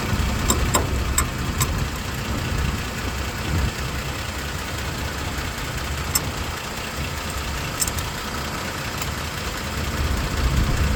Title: Tacoma clicking sound